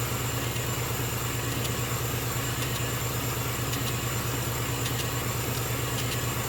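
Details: Small air compressor supplying a laser engraver's air assist, kicking in during engraving: even steady motor hum with smooth pumping rhythm, no knocks or rattles; running normally.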